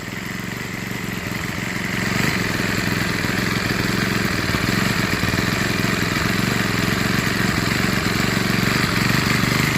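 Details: Troy-Bilt TB6044XP four-stroke string trimmer, about four years old, after an overhaul: even, steady buzz picking up slightly early on, no misses or knocks; normal running and idle.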